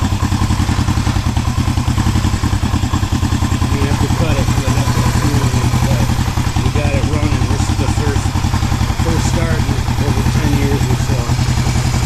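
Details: 1973 Honda CB350G twin running after 10 years in storage, points cleaned and choke used: steady, even low thump, no missing or popping; a clean normal idle, though the carburetor was still leaking fuel.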